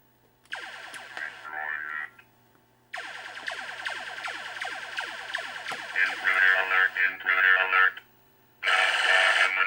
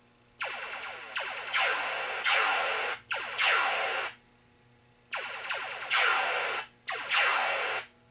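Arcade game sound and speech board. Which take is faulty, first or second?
second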